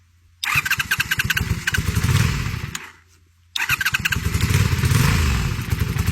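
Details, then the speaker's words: 1989 Honda VTF250 Interceptor, 249cc V-twin, after sitting, with new plugs, new small fuel tank and battery: catches on the starter, runs in ragged uneven pulses, dies, restarts and lumps along; carb needs going through, suspected. "We need to go through that carb, but she does run."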